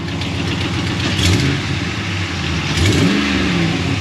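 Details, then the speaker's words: 2016 Ram 1500 5.7 Hemi petrol V8, 52,944 miles, revved twice. A raspy puffing exhaust sound comes from leaking exhaust manifolds, as the customer had diagnosed. "oh did you hear that i heard exhaust leak"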